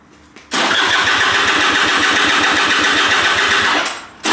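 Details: Piaggio SKR 125cc scooter that won't start: an even starter whir with steady compression pulses of about eight per second and no firing. Reseating a loose spark plug did not fix it, and spark and compression are to be checked next.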